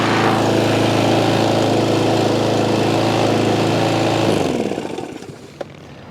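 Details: Craftsman M270 159cc electric-start lawn mower engine running after a no-start fix, held at high rpm. Strong, steady high-revving drone that holds evenly without surging or missing, then winds down cleanly at shutoff. Normal running.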